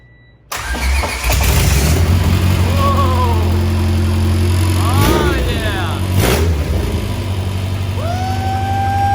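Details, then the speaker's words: High-compression Honda B20 engine swapped into an EJ1 Civic coupe, first-ever start with the computer hooked up: catches cleanly after a short crank, then several crisp revs with steady firing and no knocks; healthy start. "alright guys so you just heard this car startup for the very first time"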